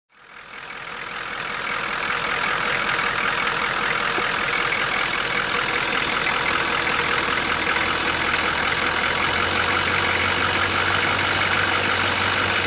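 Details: 1987 Ford F350 6.9 diesel at steady idle: a regular knock of about three and a half per second over the clatter, clearly audible from the cab; source unknown.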